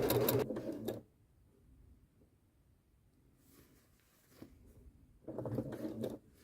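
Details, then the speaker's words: Janome sewing machine with the Even Feed (walking) foot quilting through doubled wadding with straight stitch: two short bursts of quick, even clicking with a pause between; walking foot runs normally, sounding busier than a regular foot. "it's quite a busy foot so you know it's going to it's going to do quite a lot because it's got all of this going on on the top it's going to sound very different to your regular foot"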